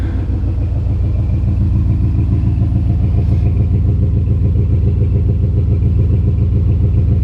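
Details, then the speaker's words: 1980 Pontiac Turbo Trans Am, turbo 4.9 L, about 82,000 miles, cold engine just down from high idle: a steady, even exhaust thump with a deep rumble and no ticking; a healthy cold idle. "engine is cold so it's it just came off a high idle exhaust sounds decent"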